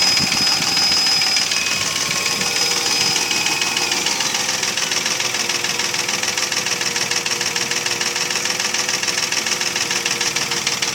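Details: Mercedes ML320 V6 (M112 3.2) at about 300,000 km at idle: sharp regular knock about three per second keeping step with idle speed, unchanged by replaced bearings, chain, tensioner, camshafts and lifters; piston slap from scored cylinders.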